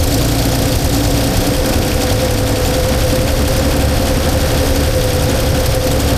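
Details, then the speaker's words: 1977 Holden HX that would only idle high on choke, distributor loosened and twisted by ear without timing light: steady low idle with constant droning note and uneven lumpy beat; rough idle, timing suspected, unconfirmed. "So, I'm going to see if I loosen off the distributor with it running and see if I can twist it either way to make it run a bit better as I don't have a timing light."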